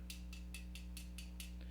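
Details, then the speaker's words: Ender 5 3D printer default lead screw nut: sharp metallic clicks about five per second as the loose nut rattles with backlash on the lead screw, causing print inaccuracies; fix is a spring-loaded anti-backlash nut. "is that lead screw vibrating and it will create inaccuracies in your print particularly if you use the hop and more annoyingly for me it also creates a rattling sometimes that you will hear in your printer"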